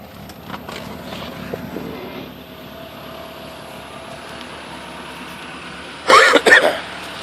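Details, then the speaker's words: Mercedes-Benz Cosworth four-cylinder at cold start and idle: soft, even idle with no knocks, misses or ticks, with a brief loud clatter near the end; a healthy, normal engine. "Nice sounding engine. Beautiful, actually."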